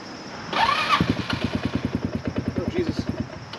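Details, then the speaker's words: Hammerhead 250cc go-kart on a weak battery: after a whirring start attempt the engine catches and chugs unevenly at about three beats a second, then dies instead of idling. Rough running, will not idle; owner thinks it needs a carb clean. "oh yeah so it definitely needs a quick uh cob clean cuz it should idle it doesn't want to idle"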